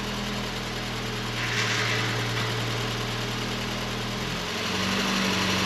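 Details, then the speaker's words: 1989 Volkswagen Cabriolet engine, first start after two years sitting in a field and a mouse-chewed engine harness replacement: steady, even, smooth idle with a low hum, no knocks or misses; runs fine with great oil pressure. "it sounds like it's running fine it's got great oil pressure"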